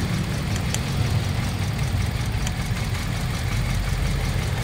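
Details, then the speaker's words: Toyota Vios Dual VVT-i mistakenly fueled with diesel, drained, new spark plugs and filter but strong vibration: lumpy idle with uneven shaking thump and skipped beats; one ignition coil tests weak, causing the misfire. "kayo ni bay Ah Mahina talaga to dapat ho talagang"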